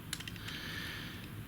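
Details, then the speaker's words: Sony ZS-D5 boombox CD mechanism, gear train turned by hand: quiet plastic clicking and gritty scraping from a cog with teeth ground off, causing stiffness and slipping; replacement cog or module needed. "Yeah, you can hear it grinding. It's missing on the teeth. So there's teeth missing on the bottom."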